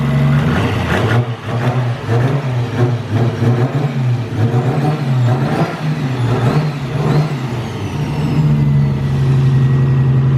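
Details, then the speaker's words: Nissan R32 Skyline on a simple ECU Master base tune before dyno, loud exhaust without muffler: sharp clean free-rev blips over steady burble, much improved smooth throttle response; normal. "So she sounds a lot different now. I'm excited to hear this thing rip. It sounds so smooth."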